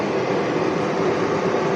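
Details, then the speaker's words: Solar home inverter supplying about 1.7 kW household load: steady airy cooling-fan rush over low hum, even and unchanging; inverter slightly noisy but fan running normally under load. "інвертор трішки шумить живання в будинку 1 кВт і 700 Вт"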